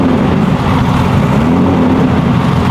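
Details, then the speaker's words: BMW E46 with M52 engine and Precision 6466 turbo, first start after engine build, not run in a long time. Steady loud roar with an uneven, slightly lumpy note just after firing; rough first-start running, cause unconfirmed; good oil and fuel pressure. "I mean, it hasn't run in a long time. It's probably gonna run like shit for a second."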